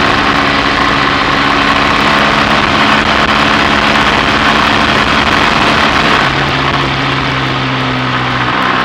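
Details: BSA A65 Thunderbolt on test ride after closing spark plug gaps to cure Boyer ignition misfire under load: even twin beat pulling steadily amid heavy wind rush, no stumbling or popping; normal running under load.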